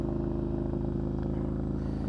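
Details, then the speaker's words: Triumph Scrambler 900 twin, already warm from riding, with choke on for demonstration: steady, even beat held at raised revs with no misses or knocks; normal choke fast idle used to warm up and avoid stalling when cold. "I probably didn't have to do this now because I've been riding the bike around so it's pretty warm still but it's just for demonstration purposes so as you can hear the bike is revving quite"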